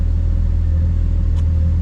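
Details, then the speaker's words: BMW N54 single-turbo car with a misfire complaint, just off cold start: deep, steady idle rumble with an even beat and no stumbles; cylinder readings have smoothed out with none standing out, normal warm idle. "when it was on cold start it was a bit erratic and there were some high numbers but yeah now it's actually at an idle speed it's not too bad"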